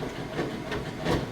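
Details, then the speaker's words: Whirlpool top-load washer with two-part agitator during wash: soft, uneven swishing pushes with a light thump about every half second; normal agitator kick, not a plain hum. "it's called the agitator kick it's how you know it's working correctly if you just heard a hum then you know your agitator would spin freely in both directions and actually wouldn't be working correctly"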